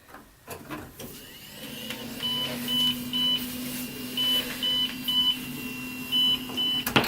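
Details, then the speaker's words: Old Windows 98 PC on power-on: short high beeps repeating in an uneven pattern with no other activity; BIOS beep code for missing RAM, no memory installed. "that means missing that means missing RAM there's no RAM inside"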